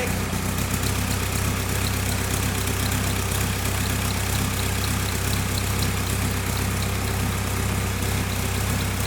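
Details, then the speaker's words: VW Caddy 2K with newly fitted 2.0 BKD diesel engine, first start: steady diesel idle with even low rumble and light injector tick, no knocks or hunting; engine sounds good. "engine runs that's good obviously I didn't know anything about this engine sounds good"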